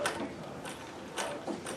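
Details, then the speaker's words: Singer 411G, geared rotary mechanism, treadled with a custom heavy balance wheel. Light, even ticking at about two beats per second with soft bobbin rattle; somewhat more bobbin noise than a 201 due to its different mechanism. Normal running. "are the same it feels largely the same here a bit more Balban noise from here because it's a different type of quality mechanism"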